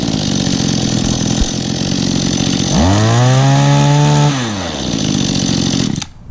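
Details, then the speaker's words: Small two-stroke that sat almost a year, started off choke and idled before revving. It idles steadily, revs cleanly to a smooth high tone, then drops back and shuts off. Fresh fuel seemingly all it needed to run good. "Let it idle for a minute before I start giving it revs. Actually, it's actually not running that bad though, really."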